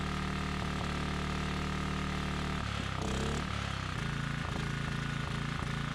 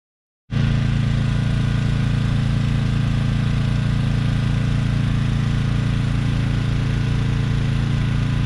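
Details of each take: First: Briggs & Stratton Storm Responder 5500/8250 generator, non-adjustable new carburetor: steady chugging then a stumble and rougher, lumpier beat as load comes on, dumping fuel and throwing black smoke; running rich under load, blamed on carburetor adjustment. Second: Briggs & Stratton Storm Responder 5500/8250 generator after carburetor replacement, powering a camper and able to pull the well: steady, even low drone with no surging, knocking or hunting; running normally under load.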